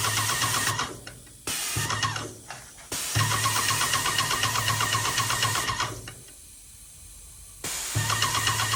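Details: Yokiji 120 paint sprayer tested after repair: steady electric hum with even pump ticking about four per second, cutting out and restarting cleanly; pump runs normally.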